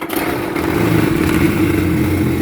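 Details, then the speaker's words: 2003 Sea-Doo GTX 4-TEC jet ski, 600 hours, suspected Bendix gear issue: starter click, then engine catches and holds a steady even drone, revved briefly out of water with slight vibration; starts normally this time. "now this time we crank rev it up a little bit got a little bit of vibration don't want to run too long no water"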